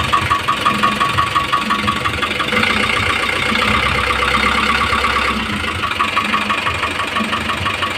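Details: Isuzu 4BC2 diesel idling with a steady, sharp knock about three per second over its normal clatter.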